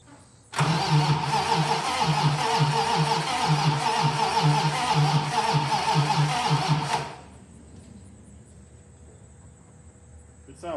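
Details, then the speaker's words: Turbo 1951 dually cranked for a compression test with the fuel pump unplugged: starter drags slowly with uneven, tight-sounding beats; readings of 65 and 60 PSI, sounds like two dead holes, owner suspects bad bearings. "That doesn't sound great. That's not very even. That kind of sounds like two dead holes."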